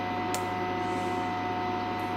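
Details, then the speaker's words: Valhalla 2703 AC voltage calibrator during repair, with supply components running about 50–60°C: constant thin whine over a low hum without dropout. High-pitched supply whine, suspected excessive load. "Could be an excessive load on the supply. So I can hear it whining, but it hasn't dropped out."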